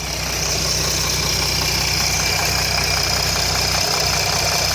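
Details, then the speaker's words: 2007 Jeep Grand Cherokee 3.0 CRD diesel at idle: loose, fairly even rattle three to four a second, new since yesterday; oil pressure light on at idle, off when revved, oil level correct; owner suspects timing chain, cause unconfirmed. "there's that infernal rattle which wasn't there yesterday"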